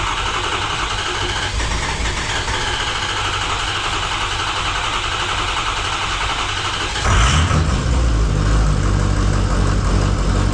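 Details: 2005 Ford F-350 6.0 diesel, first start after a custom side-exit exhaust was installed. The starter whirs, then the engine catches with a deep rumble and settles to a steady, even idle, a normal start.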